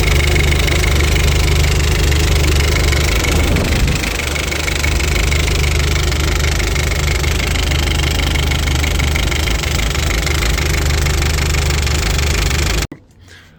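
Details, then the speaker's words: Audi A4 B7 1.8T 20V after a low-boost test drive cut short by a funny noise, with smoke from the oil catch can and no oil movement at the cylinder head found afterward: lumpy idle with a hard metallic knock three to four times a second; knocking and misfiring. "The reason for that is that it started to make a funny noise, and then as well as it started to misfire."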